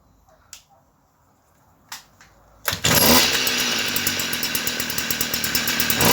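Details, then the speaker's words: Stihl FS38 trimmer during carburetor tune-up, high-speed screw moved about half a turn from original; picks up speed well but pulses rhythmically at high revs like a motorbike hitting a governor; richer or leaner both sound worse, cause unclear. "Guys, I'm a little bit confused when it it uh pick up speed very nice but it have a sound like a motorbike that run against its um a governor."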